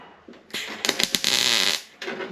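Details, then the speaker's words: MIG tack weld on a fabricated steel piece for a 1955 Chevy Nomad tailgate repair: short harsh crackle with sharp pops and uneven sizzle, "that sounded bad"; erratic tack, though it grabbed. "that sounded bad. Grabbed."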